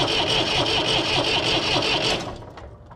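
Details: Massey Ferguson 135 diesel tractor after bleeding air from the fuel lines: starter cranks the engine at a steady two and a half beats a second but it never fires, then winds down; cause not confirmed.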